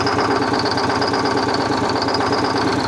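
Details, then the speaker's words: Excessive crankcase blowby on a worn Detroit Diesel 6V71 two-stroke after reaming and reinstalling an injector: rough uneven idle, hollow chuffing pulse and constant high hiss; blowby unchanged, still a hurting engine. "Still a hurting unit. Look at the freaking blowby."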